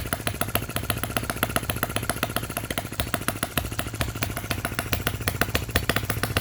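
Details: Miniature Lister D working petrol engine (OKMO/Retrol), first run after first-pull start, with fresh sump oil, petrol and hopper cooling water: crisp, regular exhaust pops about three to four per second, steady with no misses or clatter. Normal running.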